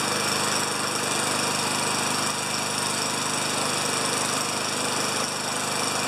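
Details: 29-year-old Rally electric-start mower, oil change still due, primed with three pumps per the manual: small single-cylinder engine at a fast, steady buzz with no sputter or surging; starts and runs healthy.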